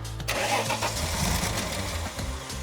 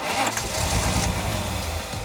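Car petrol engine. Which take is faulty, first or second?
first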